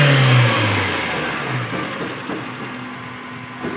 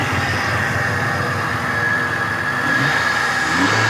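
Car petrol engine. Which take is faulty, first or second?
second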